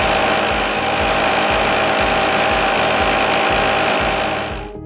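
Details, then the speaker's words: Blackmer LGL3 sliding vane pump running without a cavitation suppression liner: loud crackling, gravelly rattle over a steady pulsing beat from imploding gas bubbles, which is cavitation. "here's what cavitation sounds like without the suppression liner"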